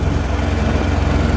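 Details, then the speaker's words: Farmall 806 tractor pulling a planter at about 10 mph and 1700 rpm, its maximum. The diesel chugs with a deep, uneven throb, starved of fuel; the owner hopes the cause is clogged filters, and the pre-filter was found fouled with algae and rust. "It feels like it's lacking on fuel. So I'm really hoping it's just some clogged up fuel filters."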